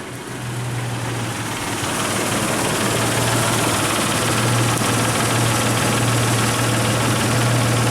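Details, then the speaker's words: Isuzu Rodeo starting and idling with a new ignition control module in place of the aftermarket one, amp clamp on coil control wires: fires right up, smooth even idle, no misses; normal idle. "I want to see what the amperage is with the new ignition control module if it's any different than with the aftermarket one fires right up"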